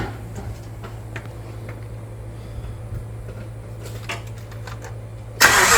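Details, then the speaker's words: 1998 Mitsubishi 3000GT base SOHC 3.0 V6 sitting 12 years, new distributor, coil and PTU, gasoline poured in: low uneven churning with scattered pops, then a sudden loud burst as it briefly catches. "She's starting to catch It's so close."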